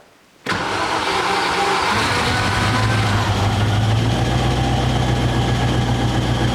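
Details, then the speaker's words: 1990 Range Rover Classic V8, stored over 10 years, after cleaning the clogged breather flame trap and remounting it to the valve covers: now idles but slightly rough, revs hunting up and down. "so as you heard it idles a little bit roughly it go up and down and up and down"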